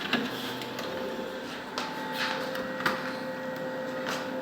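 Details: Kyocera copier/printer after clearing a paper jam, reassembling and powering on; whirring motors with faint high tones and a few clicks and clacks of mechanisms resetting, no grinding; warms up normally to ready-to-copy.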